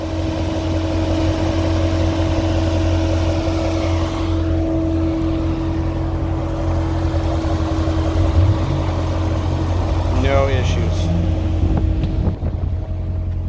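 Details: 2014 Corvette Stingray, 51,000 km, pre-purchase inspection, hood open, engine left running with cooling fans on: smooth low engine hum under steady fan whir, no ticks, knocks or grinding; normal idle.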